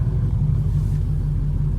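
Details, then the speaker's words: Cammed 305 small-block Chevy V8 in a Pontiac Grand Prix G-body pulls with a deep, steady rumble and no stumbles after fixing a random misfire caused by a spark plug wire grounding out on the header. "no more vibrations no more little hesitation everything smooth back the high was baby"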